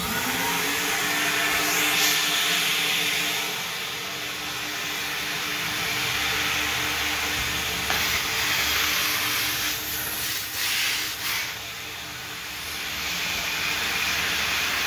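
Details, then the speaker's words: Old car wash vacuum after emptying its overfull canister, plugged in directly: loud steady rushing-air hiss over constant motor hum; now pulling strong suction. "Oh yeah, that's sucking pretty hard now."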